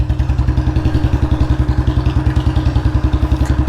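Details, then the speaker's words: Royal Enfield Bullet Standard 350 single-cylinder, nearly out of petrol, on light throttle: slow thumping at roughly three and a half beats a second, slightly uneven and lumpy, barely running; more throttle would stall it. Stumbling running. "धोखा नहीं देगी bullet देखो accelerator दूंगा बंद हो जाएगा"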